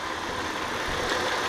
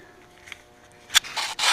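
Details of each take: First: 2001 Audi A4 Quattro 2.8 L 30-valve V6: uneven, lumpy idle with ragged beat, misfires on cylinders 1, 2, 3 of bank 1 (bank 1 fuel trims off); oily plug wells found, cause given as jumped timing belt. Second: 2001 Audi A4 Quattro 2.8 L V6 after retiming the belt, plugs refitted and new wires, airbox off and MAF unplugged: after handling noise it settles into steady even idle with no stumbles; running clean.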